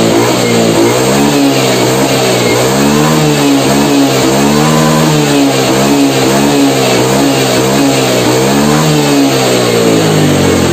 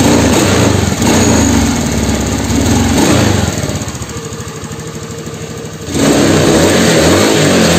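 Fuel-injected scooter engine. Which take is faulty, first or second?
second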